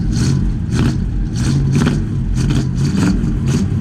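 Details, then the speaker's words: 1960 Cadillac Coupe DeVille barn find, not run since 1974, first start: big V8 running with throttle blips and a slightly uneven, hesitant note; choke needs work, electric choke conversion considered. "Needs a little work on the choke. Boom Tube said the old J.C. Whitney used to sell an electric choke conversion."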